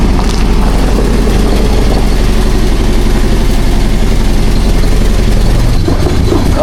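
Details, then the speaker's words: Chevy Equinox running loud and lumpy with an uneven stumble; one cylinder missing, traced to a cracked valve. "that don't sound good. You hear what I hear? Sounds like something wrong."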